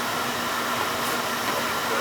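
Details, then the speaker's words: Older Beckett oil burner, previously spinning without firing, with good oil flow: steady even flame roar, no sputter, pulsing or cut-out; running smooth. "yeah definitely running smooth because I can hear it"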